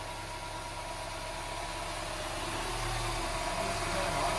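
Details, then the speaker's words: Mini Cooper S after engine rebuild replacing a destroyed valve that caused misfire: first start after fitting plugs and coil packs, quiet even idle with steady beat and no misfire; oil feed leak found afterward. "that is perfect leave it running for a sec when a car is misfiring you can hear it best at the exhaust but that sounds lovely"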